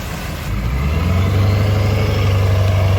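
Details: Dodge Charger catches on a jump start and settles into a smooth, even low rumble with a steady beat and no misses. The engine idles perfectly and sounds healthy.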